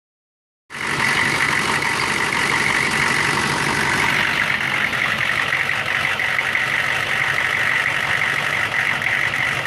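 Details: 1999 Chevy 6.5 diesel truck at idle with a bad fuel injection pump, owner noting an odd link to the AC electrical circuit or engine load: uneven, lumpy clatter about four beats a second with a hissy edge; fixed by replacing the pump.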